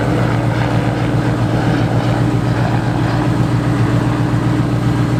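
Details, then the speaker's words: Single-turbo Ford 5.4 V8 car with 3.27 rear gear: deep, steady idle with an even low rumble and no knocks, ticks or misses; runs smoothly. "it's pretty tame does it sound like anything crazy but it's very fast and it's very unassuming based off just how smooth it idles"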